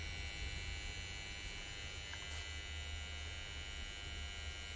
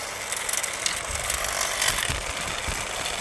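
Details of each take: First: 1965 Bell & Howell 652 16mm film projector, trash find, first power-up in forward: low steady motor hum and faint buzz with rumbling but no turning, slight pop; motor seems underpowered, owner suspects the old capacitor. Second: Trash-found 1965 Bell & Howell 652 16mm film projector, first power-up, some smoke: reverse now working and rear belt engaged; steady whirring chatter with light uneven clicking from the drive, turning freely. Normal running.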